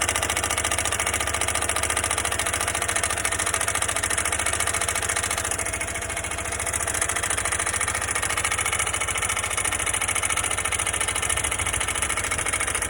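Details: New Honda motorcycle bought at 0 km, under four months old: a quick, fairly regular tapping of about three per second over the engine note at idle. Abnormal engine noise, cause unknown.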